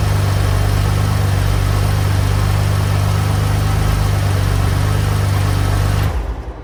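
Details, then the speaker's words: 2015 BMW M4 F82, S55 engine, first start after a DIY spark plug change with NGK plugs: firm, even idle with a deep steady drone and no stumble or ticking, then a clean shutoff; sounds healthy. "all right it runs all right well that is it the car runs sounds good"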